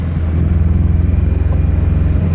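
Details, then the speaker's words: Scion FR-S driving around the block, running very rough: deep uneven chugging with exhaust pulses stumbling and missing a beat, codes P0302 and P219A; cylinder 2 misfire from a failed ignition coil, later fixed by replacing coils. "the way the engine's running right now is so bad that i'm sure that i'm going to get a code"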